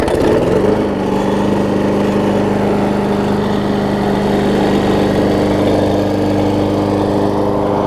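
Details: Six-horsepower Quantum-type Briggs single-cylinder, transplanted from a Murray onto a Craftsman deck and run with the blade fitted. It settles quickly into a steady, even, quiet drone with no miss or knock; it runs good.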